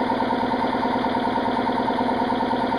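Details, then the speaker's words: Air compressor running in about 10° cold while breaking down a Dodge Ram tire on a vintage Coats tire changer: steady, strained pumping chug about two beats a second; laboring, owner suspects cold or water in the line. "I don't know if I got water in the line somewhere but just you can hear the air compressor laboring everything is"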